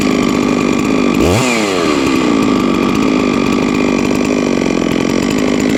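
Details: Huztl-based MS660 (066 platform) custom mill saw, 3 years old, ported 56mm cylinder, fired up after an in-field full clutch replacement: strong steady two-stroke howl with a quick rev blip up and back down, clean and even; running normally.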